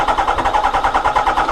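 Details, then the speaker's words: Kawasaki ZX (Zed) stored at least 18 months: quick, laboured cranking about seven pulses a second, trying to fire with a miss; battery too flat for strong spark. Earlier fuel pump fault suspected. "it's trying to fire you can hear that Miss it's trying to fire just isn't enough in the battery in a minute you need a good strong battery for sparkage"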